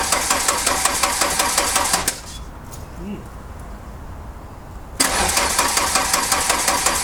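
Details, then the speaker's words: Two bursts of slow, even cranking that never catch on an MK2 VW Golf GTI (KR 16v) being diagnosed for cutting out; the battery is flat, so it gets charged before further diagnosis. "yeah the battery is pretty flat it's on uh yeah well it's on flat at the moment so that's not going to help things"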